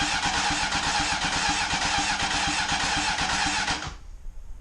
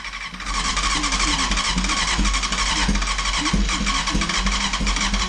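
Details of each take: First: Honda CBR900RR Fireblade SC28, stored in a barn for more than 10 years, on its first crank test with the battery on charge to build oil pressure: steady, even starter cranking at about 2.5 turns per second, no firing, and the engine turns over freely. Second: Barn-find Honda CBR900RR Fireblade SC28, stood over 10 years, first start attempt on a remote fuel tank after reseating the CDI plug: fast uneven cranking that never catches; owner suspects no airbox (lean) and a choke assembly problem, headers slightly warm.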